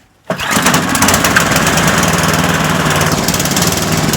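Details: Toro Power Max 826 snowblower, unchoked warm start in a warm garage before an oil change, with fuel stabilizer and octane booster added: small single-cylinder catches at once and settles into a steady, even idle with no misses or knocks; healthy.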